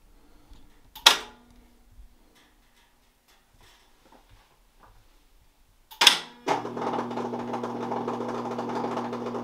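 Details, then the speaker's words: Whirlpool Duet washer with an F3E1 error, run with the panels off and the motor and tub exposed: a sharp clunk, then a steady whirring hum with a rough rattly edge at cycle start before filling. Unidentified mechanical noise, cause unknown. "right see that's the noise i don't know what that noise is that is just a weird noise"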